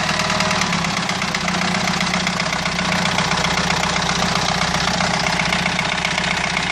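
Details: Renault 2.2 dCi diesel idling: loud clatter with a hard, fairly regular knock about four times a second. Abnormal engine knocking, source unknown.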